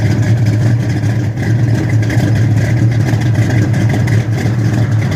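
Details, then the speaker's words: 1971 Dodge Super Bee, dual-quad 4-speed, cold start: smooth, loud, steady V8 burble with no lifter tick or valvetrain clatter, no upper engine noise heard; normal healthy idle. "Take her for a run. Don't really hear any upper engine noise."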